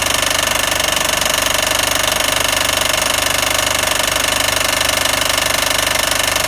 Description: Timing belt is a little loose, but I still have no idea what is making this HIDEOUS sound.